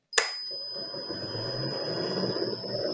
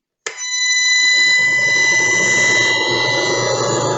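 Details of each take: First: Motor driven by a frequency inverter with the PWM carrier frequency raised back to 5 kHz: a low, soft hum with a faint high tone, much quieter than the harsh noise at 3 kHz. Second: An electric motor on a frequency inverter with the PWM carrier frequency lowered from 5 kHz to 1 kHz gives a loud steady high-pitched whine with stacked tones around 1–8 kHz. The low switching frequency makes the noise audible.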